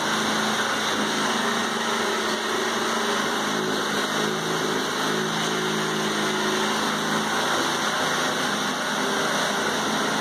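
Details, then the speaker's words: 1980s Honda rototiller, first start in about 10 years with the choke used, on the second pull. Small single-cylinder engine at a steady, even speed with a smooth exhaust note and no knocks or misses: normal running. "so the old Honda lives up to its name as far as quality started after the yes second pole"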